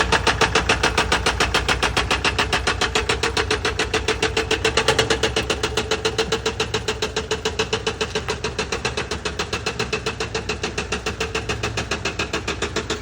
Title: Mercedes sprinter engine knocking #automobile #mechanic